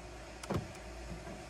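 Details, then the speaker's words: 2010 Honda CR-V whose door locks cycled constantly, suspected from the driver's side, with the driver's door actuator previously replaced: with the key on, one crisp, even double clunk as the locks fire together and no repeated cycling. "and before I would turn the key on and the door locks would go crazy notice how they're not going crazy anymore"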